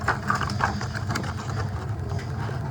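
A steady, even low roar with no popping or fluttering, just a gas water-heater burner holding its flame normally.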